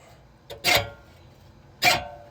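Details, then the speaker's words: Scotts push reel mower after adjusting the bedknife screws (back screws loosened, front tightened): reel spun by hand gives two short light scrapes, blades contacting the cutting bar evenly the whole way, adjustment correct. "you can hear it is in contact with that cutting bar the whole way."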